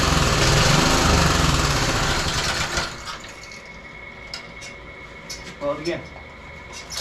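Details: Roadside-salvaged small single-cylinder lawn mower engine for the Tommy Gun mini bike, after choke on then off; it roars unevenly for about three seconds, then fades and stalls, unable to sustain a run. The spark plug is changed next.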